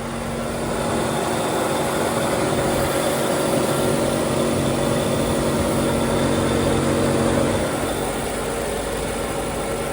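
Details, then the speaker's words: Engine-bay mic close to the belts on a 52K km 1994 Chevrolet Corvette (6-speed manual) with a 5.7 L LT1 V8 at idle. Smooth, even V8 idle with a steady belt whir and no ticking, knocking or squeal. A healthy engine. "So a healthy sounding 5.7 liter V8 LT1 engine."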